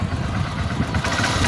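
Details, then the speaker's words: Honda XR150 single-cylinder after replacing clutch body/housing and balancer damper: even idle thumps, quick throttle blip rises and drops cleanly; clatter on sudden throttle gone after repair, normal idle and throttle response. "Wala na yung kalampag niya kapag biglain natin yung kanyang turottle. So wala na yung kalapag."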